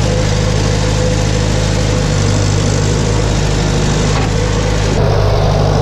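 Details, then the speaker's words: 1962 Farmall 140 tractor revived after over 10 years sitting, run after correcting ignition wiring that had a cylinder firing wrong; steady, even low rumble at fast idle with no misses or knocks, engine now sounds good. "not believe how much of a difference that made the engine sounds good so improperly that was so dumb"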